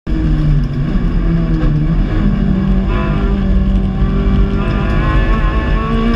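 A loud race engine at high revs with a ragged, stuttering note and pitch steps, suggesting cylinders dropping out under load.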